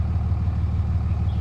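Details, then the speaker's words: 2004 Ram 3500 with the 305hp/555tq common-rail Cummins diesel at 257,000 miles, cold idle: steady low rumble with an even firing beat, exhaust sounds good, no knocks or rattles; healthy engine. "So it sounds really good to me. The exhaust sounds good."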